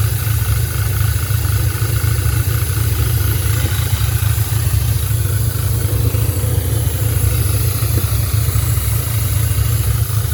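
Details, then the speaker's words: 2010 Audi A5 Quattro coupe, 6-speed manual, with a 2015 CPM 2.0T engine swapped in for the CAE, 144,045 miles, idling just after the swap with coolant being burped: an uneven stumbling misfire. Vacuum leaks are being checked. "you can hear the engine definitely running with a misfire"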